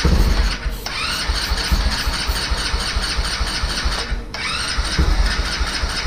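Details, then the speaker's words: Vader 125 Grom-clone motorcycle on its first start attempt after assembly, choke up. Repeated bursts of even starter cranking that never catch. The carburetor bowl is empty; fuel starvation, possibly an empty gas tank. "seeing if we can get gas out of the bottom of the carburetor bowl so there's nothing in the carburetor"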